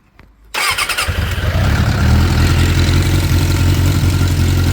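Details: 2006 Suzuki GSX 600F Katana after carburetor cleaning, air/fuel mixture screw setting guessed: cranks briefly, catches and settles into a steady, even idle with a low regular thrum.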